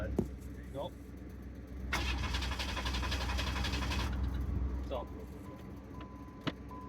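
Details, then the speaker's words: Mid-1990s Pontiac Firebird S with a misfire, during a clear-flood crank: starter turns the engine evenly about four beats a second with no lagging stroke. Compression judged fine; misfire suspected to be fuel or coil/pin related. "just with that I'm not too worried about a um not too worried about uh compression issue"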